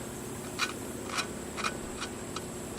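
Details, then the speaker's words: Honda GX25 4-stroke trimmer engine under rebuild: short gritty scrapes, about two a second, as a valve is hand-lapped into its seat with fine grit lapping compound, a normal sound. "you can hear that kind of grinding that's just that valve compound it's got almost like a like a diamond grit like a really fine grit"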